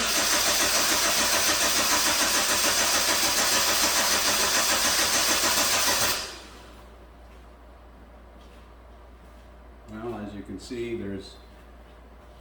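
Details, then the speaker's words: 2009 Hyundai Sonata towed in for cranks-no-start: fast, even cranking at about three and a half beats a second for six seconds without catching. The timing chain has jumped, leaving the exhaust cam out of time while the intake is timed, with a slack chain; possible valve damage suspected but doubted. "the intake cam is is timed but the exhaust cam is out of time so my concern now you can see the slack in the chain here"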